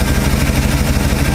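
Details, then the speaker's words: 1968 Ford F250 390 FE V8 after Pertronix Ignitor replaced the points, timing advanced slightly for altitude: smooth, even idle around 650 rpm with a steady low beat, no knocks or misses; running well. "This is the way it's supposed to sound. Where's my RPMs at? Yeah, around 650."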